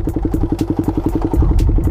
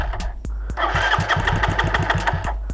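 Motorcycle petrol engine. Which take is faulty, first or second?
second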